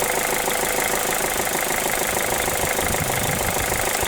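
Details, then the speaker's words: Mazda2 1.5L Sport petrol engine converted to run on hydrogen, warm, MAF sensor disconnected: sharp, regular knocks about three a second over a rough, quiet-diesel-like idle. Owner suspects ignition timing and plans to change it; unconfirmed. "Whether that sound goes away, because I think it should probably sound like any other petrol engine. It shouldn't have this knocking sound."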